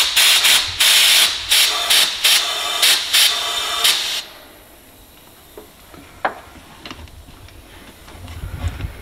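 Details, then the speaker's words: Vauxhall Astra VXR with a newly fitted Airtec intercooler, boost leak test at about 10 psi: loud bursts of hissing air, on and off for about four seconds, then quiet. The pressurised intake pipework is leaking somewhere around one side. "and we found a leak this is why what we're going to do is uh pressure up again and find this leak so somewhere yeah it's coming around this side somewhere"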